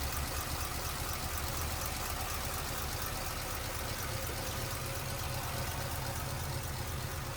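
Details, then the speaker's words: 1946 Ford Super Deluxe Woody Wagon V8, 6-volt system, oil bath air cleaner, 5.9 AV heads: low, even rumble at idle with a steady beat, no knocks or misses; purring, smooth and healthy. "Listen to it purr. What a smooth"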